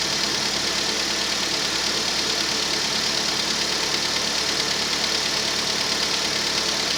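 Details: Rover 25 1.4 petrol at cold start: fast, light, even ticking about three per second over a smooth normal idle from hydraulic tappets, normal at this temperature; a slight misfire was later traced to a faulty lambda (O2) sensor.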